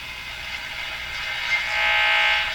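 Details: Canadian Westinghouse Model 577 radio, antenna switched off, during capacitor replacement: over a steady hiss, thin whistling tones sweep in and out as the dial turns, showing the local oscillator is working normally.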